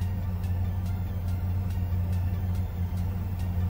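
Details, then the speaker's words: Ford Ranger during rebuild, after cleaning the idle air sensor, AC off, computer re-trimming fuel with slightly higher idle: steady even rumble with faint light tick about twice a second, earlier rough idle gone; smooth idle. "But it doesn't really feel like that rough idle that I was feeling before. It runs a little smoother now."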